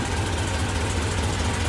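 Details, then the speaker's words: 1940 Ford COE custom rollback at idle after refilling coolant and fitting a replacement belt: AC compressor engaged and pulling smoothly, steady even low idle, no squeal or knock; air working, compressor running normally. "got it here got it on as you can see the compress Lu is on it's actually cool you can hear it"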